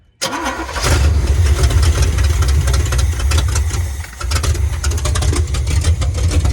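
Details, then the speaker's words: 1980 Chevrolet Silverado 30 series big block (assumed 454), sat for years: the old carburetor isn't squirting, so it runs roughly on starter fluid and sags. Fuel isn't getting through, so the carburetor will be replaced. "Yeah, fuel's not getting through. We put that carburetor on."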